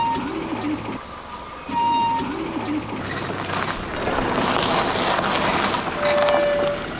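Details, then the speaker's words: Vehicle braking while driving: road noise with rough scraping hiss swelling a few seconds and brief thin squeal; pad-on-disc friction noise, possibly from dirt between pad and disc. "Esto es por la propia fricción de las pastillas con el disco."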